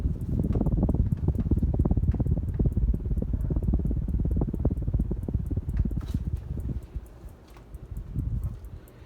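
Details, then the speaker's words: 36-inch brown CEC Georgian ceiling fan, model 303D, made in Hong Kong in the mid-to-late 1980s: quick light ticking, about three to four per second, over a soft fan rush. The original tassel pull chain is swinging and tapping the glass light-kit globe. "That's this chain tapping the globe. The tassel pull."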